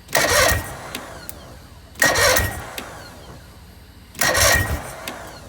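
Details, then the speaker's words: Bass boat engine after a failed pressure test, run without cooling water: three short cranking bursts with ragged catches that never run on; piston #4 was found completely destroyed, leaving that cylinder without compression. "that didn't sound good something just went junk and i bet it was that cylinder right there"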